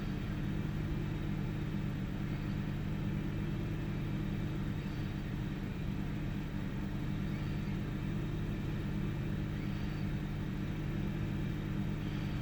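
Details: 1998 Ford Taurus SE OHV petrol V6 idling with the hood open: uneven, lumpy beat with faint dips in the steady rumble. Intermittent misfire with mild rpm fluctuation; earlier swung 400-1000 rpm without warning lights. Cause unknown.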